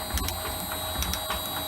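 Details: Shaper refitted with its new replacement motor, running at 50 Hz, 67 strokes per minute: quiet, even running with faint high motor whine and light regular ram clatter; normal running.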